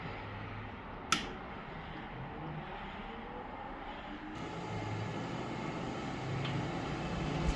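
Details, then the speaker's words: New electric cooling fan on a 1935 Chevy Master Deluxe restoration, mounted at the radiator and powered from a car battery: an even airy whoosh swells as it spins up, no rattle or scraping; fan runs smoothly and fairly quietly. "Yeah, she's got some speed. She's definitely blowing air, so we'll see if I overheat. It's also really not that loud, which I'm happy about."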